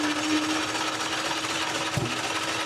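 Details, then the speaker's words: Engine that died after coming into boost now cranks quick and even at almost 300 rpm on the Holley dash, versus the usual 160–180 rpm, with a whirring drone and barely any compression beat. The owner suspects a down hole or internal damage. "It sounds weird when it's rolling over though. It's never rolled over like that fast."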